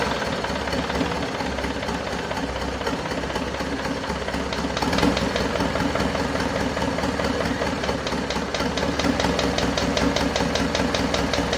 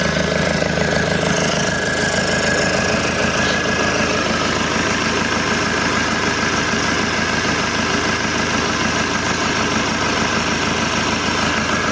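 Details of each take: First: Isuzu Panther 2.5 diesel at its first start after an overhaul and turbo/intercooler upgrade, assembled about 2 weeks before. Rough idle with slight uneven ticking over the clatter, while oil pressure reads normal. The mechanic suspects parts not yet fully settled; the finding is loose valve guides. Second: Isuzu Panther 2.5 diesel after overhaul with modified turbo and new hoses: steady, even idle clatter with no knocks, misses or hissing leaks; no turbo leaks, tuning still stock; normal idle.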